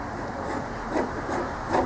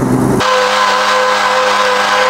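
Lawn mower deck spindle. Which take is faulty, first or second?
first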